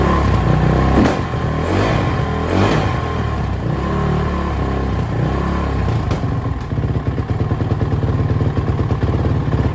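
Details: Suzuki RMZ450 single-cylinder, first run after major engine work including a reworked head after a dropped valve: revs surge and sag erratically, barely holding idle; owner suspects a lean condition as the head glowed red hot.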